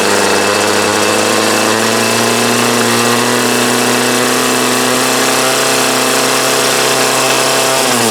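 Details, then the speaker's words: 2008 Troy Bilt TB20CS 31cc two-stroke trimmer with new fuel lines, filter and primer: steady high scream that sags and drops off near the end; it only runs on half choke, and the owner suspects debris in the carb. "Seems like it's only wanting to run half choke, so there's a good chance there's something down in there."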